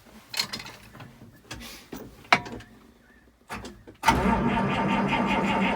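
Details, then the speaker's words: 1955 White (rebadged Oliver 1955) diesel tractor cranked on the key after extra glow: a few clunks, then laboured sluggish starter churn that never catches; owner thinks the starter is too slow and plans to jump it from a ute. "A little bit reluctant. She's not real happy there. Yeah, see, there's not a lot of crank in that starter. Like, it's pretty slow, and I reckon if I put a ute on that with a set of jumper leads, it'd probably go straight away."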